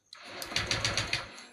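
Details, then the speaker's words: Honda Vario 125 FI being rewired after a burnt harness, MIL blinking, starter button fed from battery: quick even chugging about seven beats a second, then stops; cranks but won't start on first try. "tak mau hidup, tak mau hidup."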